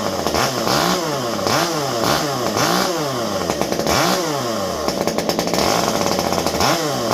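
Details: Stihl MS201T chainsaw, fully stock, about ten years old and worn, just deep-cleaned: clean, crisp revs rise and fall smoothly with the throttle, with no bogging or misfire; normal running.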